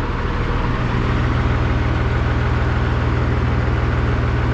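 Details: 5.9 Cummins diesel (VE pump, sat 15 years, swapped in for a P-pump engine): steady, even idle clatter at about four beats a second over a smooth low rumble. It starts easily. Normal idle.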